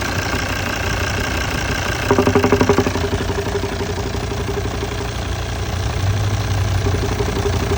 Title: Volvo xc90 d5 2008 engine knocking noise fix